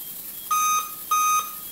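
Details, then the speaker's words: Laptop with black screen, tested with RAM stick removed: two clear high-pitched POST beeps about half a second apart, the code for missing memory. "Alright, those are the post beeps to tell you that something is missing. In this case, it is telling you that the RAM is missing."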